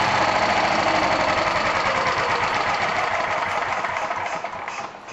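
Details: Old BSA 220cc stationary single, governed to 2500 rpm, motor and carburettor in fine condition: quick, even beat steady at governed speed, then fades off; healthy, normal running.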